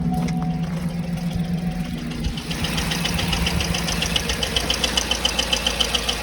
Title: Odd tapping noise from the 5.3 #dadsgarage #automobile #mechanic #diy